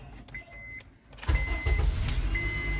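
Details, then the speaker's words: 2005 Honda Accord that would not start, after replacing the ignition switch contact (dried out): key chimes, starter turns briefly and engine catches on the first try, settling into smooth idle; fault fixed, normal start. "y a la primera otra vez Ahí está entonces ya intuíamos más o menos que esa era el problemita que era la falla"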